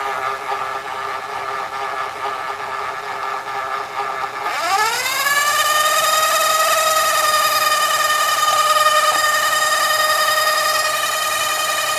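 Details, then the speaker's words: Toshiba M-66 VCR in rapid fast forward/rewind: loud whirring sweeps up then holds a steady high pitch; an out-of-sync idler gear is making the noise. "there's one gear that is part of the idler when it rapid fast forwards, rapid rewinds. It's out of sync, and that's what's making all that noise."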